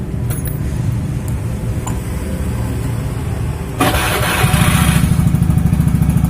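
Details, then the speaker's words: Beat scooter with a Tsukigi exhaust used for a few months, at idle with throttle blips before the glasswool is replaced. Coarse, raspy exhaust that gets harsher on blips; the owner suspects the glasswool packing is burnt. "Dan kemungkinan gasbulnya mungkin udah kebakar, makanya udah waktunya untuk ganti. Dan sebelum ganti, kita coba dulu tes suaranya seperti apa."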